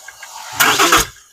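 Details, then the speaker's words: 2022 Cummins diesel, just under 34k miles, cranked via starter button: number six exhaust rocker not moving, one sharp pop back through the intake; suspected collapsed lifter, with failed pushrods and rockers. "right there pop back through the intake. So I will get uh the valve trousers tore apart and I suspect we have a lifter failure."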